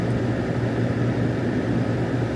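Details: Smooth, even engine drone with steady pitch and no ticks, knocks or misses from a 2002 GMC Sierra after repairing a rust-caused P0174 lean code. Fuel trims look normal. Normal running.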